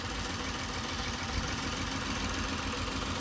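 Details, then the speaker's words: Toyota Avalon just started following a no-start: uneven, lumpy idle with irregular stumble; misfiring, suspected from water in injectors and spark plugs, expected to smooth out once cleared. Fuel pressure 43–44 psi. "Mamaliang lang to sa una pero pag nalinis na yun o matanggal na yung mga tubig-tubig sa injector saka sa spark plug."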